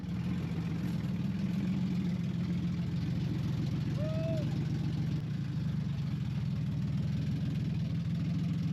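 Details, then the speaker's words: Car that sat for 3 years, started after tapping on the starter, running with no exhaust fitted. Steady, raw, very loud deep rapid thumping at idle; loud idle with no exhaust. "all right she's going to be loud cuz we have no exhaust on this thing ladies and gentlemen"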